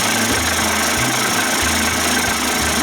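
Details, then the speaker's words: Johnson Tracker 25 hp outboard converted to 30-35 hp with bigger carb and 72D jet: busy two-stroke idle with fast, fairly even pop over a sharp hiss, no knocking or stalling; sounds good, normal idle. "plus you timing do that with your throttle you can't you know sounds pretty good to me"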